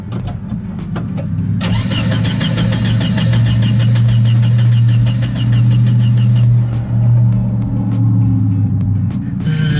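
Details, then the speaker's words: 1971 VW Type-3 Squareback 1600: steady cranking about three to four turns a second that never catches, no fuel pump hum at key-on; pump doesn't run though it gets warm. "it is unplugged right now but when it's in um I don't hear it run or anything but it does get a little warm after ru"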